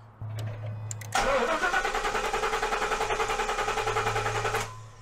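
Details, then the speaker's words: 2015 Ford F-250 Super Duty 6.2L, fuel pump relay pulled, cranking for a compression test: steady starter cranking at about 3.5 pulses per second with no firing; compression is good at about 75 psi, and the cylinder 8 misfire is blamed on a failed coil. "So I need to stop the engine from starting while I just am able to crank it. So I need to pull the fuel pump relay."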